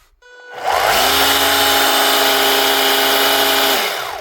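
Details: Panasonic EY7880 SDS hammer drill, battery-powered, after repair with brush ring and brushes fitted: motor spins up to a clean, steady high whine, holds evenly without crackle or surging, winds down smoothly; healthy motor.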